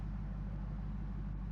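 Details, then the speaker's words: Warm first-start idle of an LS V8 swapped into a 2007 GMC Sierra Classic with a fresh tune, about 740–750 rpm (cluster reads about 1,000); steady even rumble with slight cam lope, no misses or knocks; owner wants idle slightly lower. "You could drive it like this, you know, probably without very many revisions at all. Um do want to try to get that idle down just a hair just to hear a little bit more of that cam."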